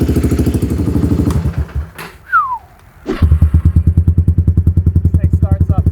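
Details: Kawasaki Lakota quad, exhaust smoking: loud, crisp single-cylinder popping at a steady even beat after a brief pause; loud but not too loud, runs clean and healthy.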